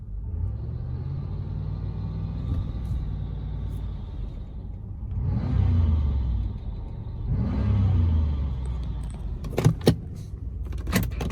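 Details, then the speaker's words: Cheap auction Chevrolet Impala SS with 213,727 miles and no engine lights, on a drive around the block: revs surge up in two long swells without matching pull under load, engine flaring; transmission judged toast. "That's why it was cheap. Yeah. So the transmission is toast in the cheap Impala SS."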